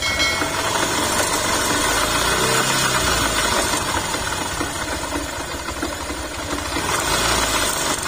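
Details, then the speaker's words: Yamaha YTX 125 engine after all bearings and connecting rod were replaced but noise remained; fast, steady metallic clatter and gear whir while running; the primary gear driving the clutch housing is suspected but not confirmed. "nagse option si sir kasi pinabibili siya ng ano ng Pisa yung gear dito na Ano ba yun Parang primary gear ng ano para umikot yung ano clutch housing natin"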